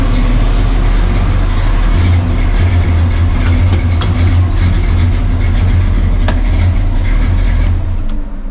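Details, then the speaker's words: Carbureted V8 (Chevy C10 that had been dieseling at every shutoff) after ignition timing adjustment: steady idle dies away right after key-off with no chugging or run-on. Clean shutdown, though vacuum readings stay low and a vacuum leak is suspected. "All right, it did not diesel. So, yeah. Um, I've definitely got it running a little better."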